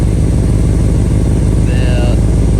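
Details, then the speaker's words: Holden VT Clubsport V8 under rebuild at idle: deep steady note with a puffing tick on each pulse; bad exhaust leak where the pipe splits off the cat (not a joint), possibly causing sluggishness; needs fixing. "this car does have an exhaust leak which I get you down under here it's coming from I can actually feel it's pretty bad actually"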